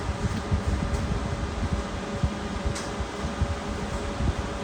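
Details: High-voltage heater (K2) fan on a Rawsuns RAD20000 diesel-electric system under component test: steady, even whoosh, no ticking, rubbing or wobble, blowing hot air while temperature keeps rising; heater fan running normally.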